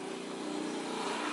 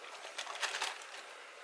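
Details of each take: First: Honda Beat scooter humming when throttle is released: rear wheel spun by hand gives a steady gritty whirr with wavering hum, most likely from the rear pulley bearing; CVT found dirty, long unserviced, with cracked parts; rough rear pulley bearing. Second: Honda Beat scooter CVT after replacing worn, dirty bearings that caused droning on throttle and deceleration: starts and settles into even idle with no droning hum from belt drive; CVT running normally after repair.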